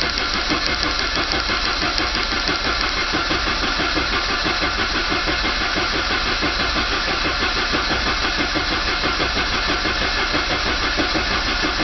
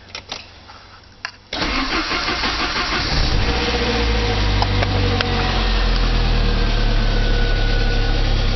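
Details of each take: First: 1985 Saab 900 turbo after oil pump and pressure relief valve removed to clear a steel piece, pump primed with grease; steady, even cranking about three beats a second with no firing, spinning over to build oil pressure. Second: 1985 Saab 900 turbo starting after oil pressure loss, following oil pump and relief valve cleanout: it catches after a short crank into a busy idle with top-end rattle that gradually smooths as oil pressure builds. Startup valvetrain rattle.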